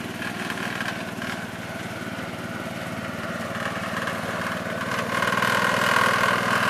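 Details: 1969 Gravely 432 engine, next morning at about 15 degrees, first drive after carb float level fix; regular even pulsing beat building slightly as it pulls away, no misfires or stumbles. Normal running.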